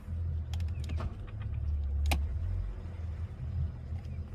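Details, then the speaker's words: Regal boat engine at 138 hours, warming, good oil pressure, shifted into gear and moving: low, smooth drone holding steady under load with a few light clicks; normal running in gear. "good oil pressure let's make sure she shifts yeah we're moving"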